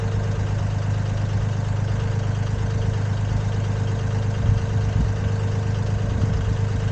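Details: Komatsu PC10-3 mini excavator diesel at low idle, just enough to keep the battery charging; smooth, even deep thrum with no knocks or misses, normal idle.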